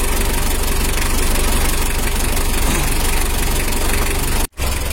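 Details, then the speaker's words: Mitsubishi L300 diesel after rebuild with new 14B rotor head, compression firm: fresh engine idling low and even, steady clatter with no heavy knock or misfire; runs smooth. "untuk suara mesinnya udah halus dan kompresinya padat"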